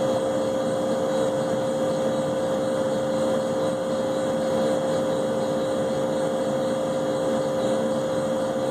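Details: Leybold Turbovac 150CSV turbomolecular pump of unknown condition running with a steady high whine and a gritty, rough hiss underneath; the bearings are bad.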